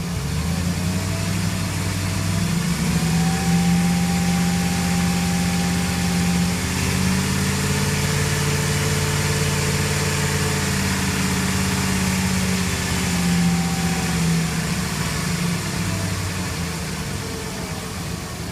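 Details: 2006 Jeep Commander 4.7 SOHC V8, fully warmed: idles and revs gently with a faint whine rising and falling with engine speed; source of the noise unidentified.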